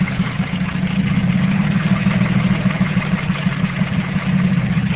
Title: KLDE has cancer.... AKA Rod knock